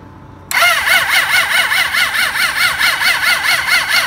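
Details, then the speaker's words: Suzuki GSX600F project motorcycle with a cold-start problem, new carburetor fitted, airbox off, fuel cock on: starter whirs in a slow, labouring, wavering rhythm and never catches because the battery has run flat. "It definitely doesn't sound too good. The battery ran flat, so I'm just gonna hook up with another battery."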